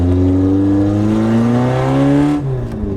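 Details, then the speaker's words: Toyota AE86 on a newer engine just fitted with the old engine's clutch and flywheel, troublesome exhaust removed, running on just the open header; loud raspy note climbing smoothly with revs and dropping back cleanly, running normally. "you just take it out and we'll just throw this in the trash over here I just drive home like that with just that open header"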